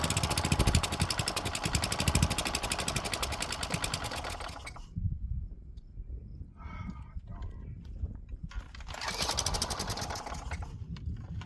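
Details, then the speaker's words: Craftsman wheeled weed wacker, found dirty, missing its spark plug and sat for an unknown time; it fires, runs rough, cuts out and catches again only on ether. Suspected dirty carb with old fuel and gunk; jets and fuel pickup may need clearing. "The carb is probably dirty. Probably still has some old fuel and gunk in it."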